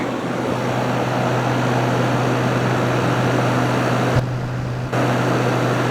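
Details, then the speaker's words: Haier ESA410J-RGB 10,000 BTU window AC cooling, ice-cold airflow, fan shown and called very powerful: steady low hum, even rush of air, no rattles or scraping; fan running normally. "Very very very powerful."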